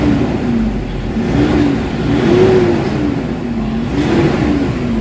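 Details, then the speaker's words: Toyota Hilux D4D diesel with low power, throttle delay and turbo actuator issue, after XADO engine treatment; smooth rev blips with clean response, engine now strong from about 1,400 rpm versus 3,500 before: normal revving. "Lumilindol na yung makina guys. Kanina 3,500 magagalit na yung makina, pero ngayon ayun yung galit niya, marinig mo talaga, ibang iba na kaysa kanina."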